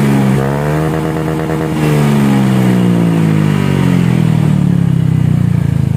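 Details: Honda Scoopy with a rebuilt CMS exhaust, after the rebuild meant to turn a tinny note deep and soft: revving with a deep, soft, even exhaust note rising smoothly with throttle, no rasp; normal exhaust sound.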